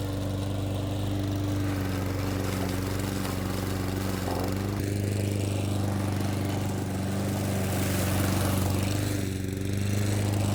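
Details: Old Honda IZY HRG466 lawn mower cutting very long grass: a steady, even drone with a constant low hum, holding speed while cutting. Normal, smooth running under load.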